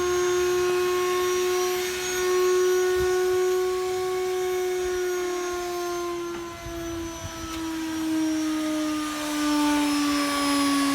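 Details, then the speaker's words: Hotpoint Aquarious WMA40 washing machine, ballast removed, loaded with junk and run at full spin speed; a loud steady whine sags slowly in pitch with no drum load as the motor freewheels after the drive belt burned through, smelling of rubber smoke. "So it sounds like we've got a belt issue. There's the belt's just burned through, and that's it, the motor's off."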